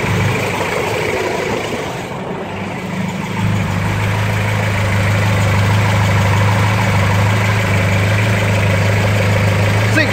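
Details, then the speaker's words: Ford 2.0 Pinto SOHC engine in a Mk3 Ford Capri, first start after six months, cold, carbureted, on a jump from a truck; catches then settles into a steady even low rumble with no knocks or misses, healthy idle while warming up. "fantastic i'm just going to let this thing idle away for a bit and warm up and get up to temperature"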